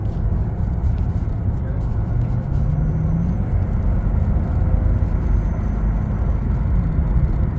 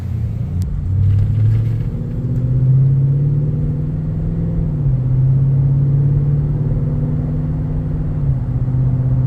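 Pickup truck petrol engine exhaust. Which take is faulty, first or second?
second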